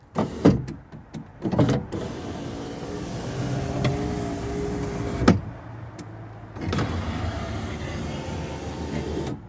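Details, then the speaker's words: Window regulator repaired with the guide glued back with Gorilla Glue, some grease removed from the runners: the motor whirs up and down with sharp clacks partway through travel as the regulator cam slips out of its guide again. "that noise you heard is probably ah yeah it's come out again let's have a look uh yes it seems that the cam is still slipping from the guide that is really frustrating"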